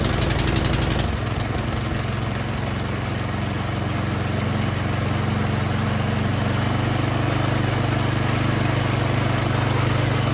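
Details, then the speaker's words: 24-inch Troy-Bilt snow blower after new spark plug replaced a fouled one: runs rough on choke, then beat wavers and hunts about four pulses a second once choke is off; surging from dirty carburetor, suspected running rich. "all right it definitely will run but you see as soon as i turned off the choke it's just started surging so that tells me that something is going on in the carburetor"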